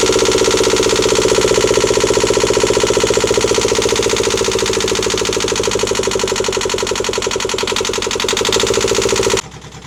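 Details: Newly installed Yanmar 2GM20F diesel in a Prout catamaran, cooling water drawn from a bucket: loud, rapid, even chuffing from the open exhaust at about four beats a second, holding steady; healthy idle.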